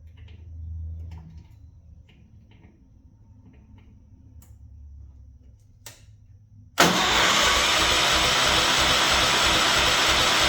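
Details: Old John Deere 210 garden tractor, no battery, powered externally, a little fuel put in the cylinder: steady starter cranking about three turns a second with no firing or catch; won't start, spark faint from dirty points.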